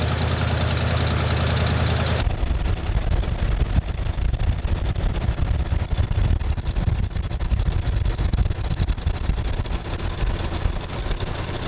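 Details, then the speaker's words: 1979 Ford F150 with a modified 351 V8, long abandoned, after bolting on a new Chinese carburetor: catches after a short crank and settles into a steady, even idle with no misfire or knock. "There you have it, Chinese carburetor bolt-on, lit right off. So that part's fixed."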